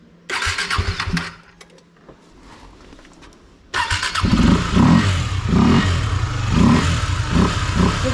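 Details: KTM Duke 250 left standing about two months: several short cranking bursts fail to catch, then it fires and settles into an uneven, lumpy idle. Hard starting; cause suspected, not confirmed.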